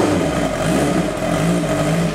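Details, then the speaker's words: 1986 Kawasaki GPZ 1000R warming up after replacing bad eBay ignition coils with used OEM coils: steady even note with light rev, no misfire stumble; normal running. "it is running so much better with those other coils in so right now that's confirming to me that those eBay sorage coils were bad"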